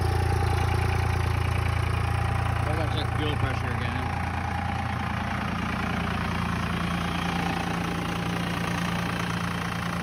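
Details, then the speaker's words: 1999 Dodge 2500 5.9 24V Cummins started around -3°F in Iowa, unstarted for weeks: raised, lumpy diesel idle pulsing about 214 times a minute with a choppy beat, the normal cold three-cylinder high-idle warm-up mode; sounds bad but warms up faster. "that should kick into three cylinder high idle right [Music] now it sounds really bad but exactly it helps warm up real fast a lot faster"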